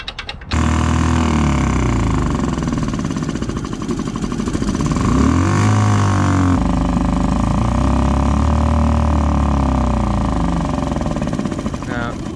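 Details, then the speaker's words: Suzuki DF2.5 outboard after carburetor cleaning, idles fast and hunts, pitch rising and falling, dies at low throttle; suspected surging high idle, later buyer blamed broken intake manifold spacer and blown gasket. "yeah huh it's still surging idle still high surges so tired of this thing"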